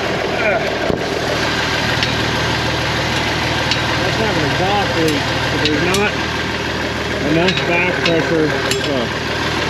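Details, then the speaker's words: Abandoned IH 4166 tractor diesel, sat since about 2015-2016, first start with fuel opened halfway and clutch down: even low idle, steady unhurried beat, no knocks or misses, birdsong over it; owner says it runs good. "Well, that was entirely too easy. [Music] running sounds good down."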